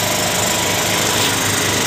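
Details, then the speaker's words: Honda Beat FI scooter after the fuel pressure fix, pressure at 42 PSI: steady, even idle buzz with no stumbling or misfire. Normal idle. The original complaint was hesitation when opening the throttle. "jadi sampai di sini cara mengatasi permasalahan motor brebet tekanan hidup dengan normal"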